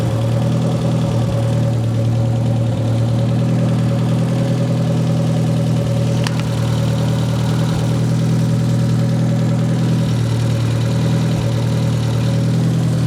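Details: "!200" engine idling: steady hum broken by irregular dips and stumbles every few seconds. Fuel pressure about 38 psi, alternator 14 V, owner doubts a sensor fault and says it tries to die when parts are touched. Rough-running misfire.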